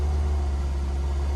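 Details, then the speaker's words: 2008 Ford Focus SE 2.0 L with new battery, raised to about 2000–2200 rpm with headlights on for alternator test (14.3 V): smooth, steady deep hum, no knocks, misses or whine — normal running. "okay increase the speed to about 2000 rpm so we're going to kick it up"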